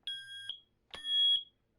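Two loud, shrill beeps about half a second long in a quiet room: the alarm sounds normally when the test button is pressed.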